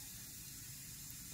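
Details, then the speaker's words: CM VO19 vacuum chamber being reinflated via the knob after the pump is shut off, air letting back in; steady high airy hiss, normal venting. "And we'll reinflate the vacuum chamber by turning this knob. And you can probably hear the hissing sound. That means it's letting air back into the chamber."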